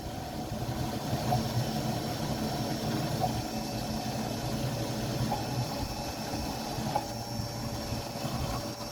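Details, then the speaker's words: New bilge pump on 1960s boat under restoration, test run with water added to the bilge: steady, even motor hum with water churning underneath, no stutter or rattle; pumping strongly and healthy. "i've put some water down so let's see if we get any action sounds good sounds like it's working"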